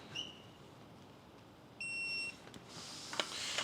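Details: Subaru EJ257 STI engine rebuild, electronic torque wrench torquing bolts to 30 ft-lb for the first round: two short high beeps about 1.5 s apart, then a longer steady tone at set torque.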